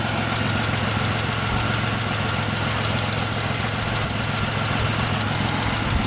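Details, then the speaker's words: 2006 Pontiac Grand Prix supercharged V6 swap engine, oil pan had metal debris: steady even idle with smooth low rumble, no oil cap smoke, only a slight tick noted; normal idle. "I don't know how it's not grenaded, but it actually sounds pretty good."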